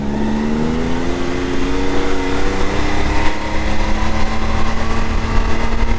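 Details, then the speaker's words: 2022 Can-Am X3 DS Turbo 120 held at about 5100–5300 rpm after installing a P-Drive primary clutch: a steady, even drone that is much quieter, and the former 5100 rpm clutch rattle is gone. Engagement is smoother and a few hundred rpm lower. "oh man A lot quieter that is so much nicer yep that engagement is now gone the rattle is gone"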